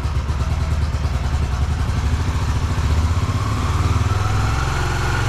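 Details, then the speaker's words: Yamaha YBR125 at about 5150 km, cold start on choke at beginning of season: steady, even single-cylinder thump at raised choke idle, lifting slightly as it warms; normal cold idle. "сейчас будет прогреваться и по мере прогрева стрелка будет приближаться к 4000 где-то около 3-4 минут ему надо разогрев"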